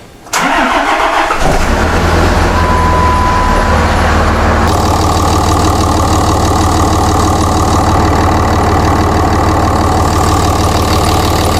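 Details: 2006 Ram diesel just started after replacing the turbo oil supply line, airbox and intake tube off to check for leaks: cranks and catches within a second, then steady even idle clatter, no misses; normal idle, no leaks.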